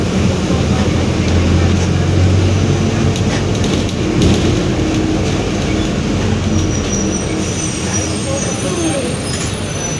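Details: 2021 Marcopolo Torino S urban bus on a Mercedes-Benz OF-1721 BlueTec 5 chassis, in service: a steady low growl and hum under the diesel and road noise throughout. Worn, growling differential.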